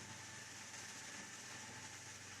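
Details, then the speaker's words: AMD FX-8350 stock cooler fan at about 5.7k rpm, CPU around 68°C under stress test: steady, loud airy rush with a faint hum, no surging; fan at high speed under load. "I believe now you can you can hear what how the noise is like it's pretty awful"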